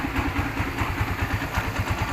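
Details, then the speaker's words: Kawasaki Barako motorcycle after replacing the stock cam chain tensioner with a Bajaj tensioner; now idles quiet, steady and even, without the earlier hammering-like knock from inside the engine. "Maririnig nyo po mga paps, tahimik na po siya, hindi katulad po kanina na akala mo may nagmamartilyo po sa loob."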